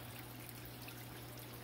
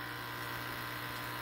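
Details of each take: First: New SunSun HW304B canister filter on a 125-gallon tank, replacing an old one that rattled: only a faint low hum under trickling water, with no rattle. It runs quietly and normally. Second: SunSun HW304B canister filter on a 125-gallon tank: steady buzzing hum with a fine continuous rattle from inner trays deteriorated by heavy UV-light use, before replacing the filter.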